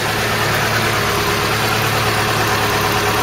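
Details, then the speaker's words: Long-unused vehicle revived, radiator cap and loose hose clip replaced: smooth even idle with steady low beat, no misses, knocks or rattles, no smoke at start or running, cooling holding pressure; engine sounds sweet. "there's your donkey no smoke when it starts up no smoke when it's running really sounds sweet"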